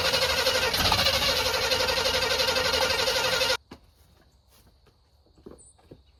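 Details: 1985 Chevy C20 square body, sat outside over 10 years: steady starter churn about four turns a second for three seconds, never catches; cranks fine but won't fire, smells of gas; fuel pump known working, external tank planned next.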